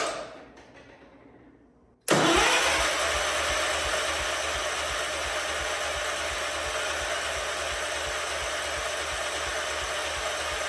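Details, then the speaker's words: A 47-year-old Wheel Horse tractor, sat with no fuel cap and no fuel filter, cranks steadily with even compression pulses but never catches; the owner suspects the carburetor is bone dry (fuel starvation), and ether later makes it fire. "it's probably going to crank over for a minute anyway cuz I'm sure that carb is bone dry and it's going to have to get filled back up"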